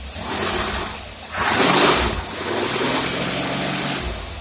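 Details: Engine running with a rebuilt Carter WCFB carburetor (stripped screw holes re-threaded, interior re-machined for modern fuel), tested on accelerating where trouble was before: picks up cleanly on a sharp throttle blip, no stumble, pop or backfire.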